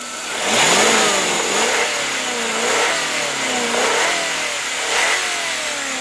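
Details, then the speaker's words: 1998 Subaru Legacy Outback Limited boxer engine, 148,000 miles, head gaskets checked not leaking: clean quick revs settling back evenly, strong, no valve-train noise, knocks or pings; healthy. "Yeah, that you don't even need to be a mechanic to know that that sounds fantastic. It sounds strong. It revs. There's no valve train noise in it. There's no knocks, no pings, no ding."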